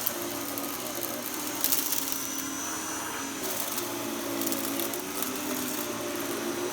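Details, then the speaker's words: Vacuum cleaner motor with a high, whiny drone that rises and sags as debris is drawn through, sounding laboured and really straining under load; judged a very poor machine. "it just it just sounds like it's really straining"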